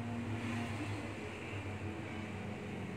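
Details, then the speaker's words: Old car idling at 800 rpm with the AC switched on, blower on speed one, after compressor replacement: quiet steady low hum, no knocking, rattle or squeal from the compressor; healthy running, cool air coming out. "Dan ini sudah start dan menunjukkan 800 RPM untuk mobilnya, untuk mesin mobilnya. Dan kemudian kita nyalakan AC."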